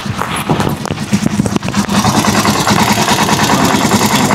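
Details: Rusi Chariot 175 single-cylinder: after a few handling knocks it settles into a steady, even idle putter of about two to three beats a second; healthy.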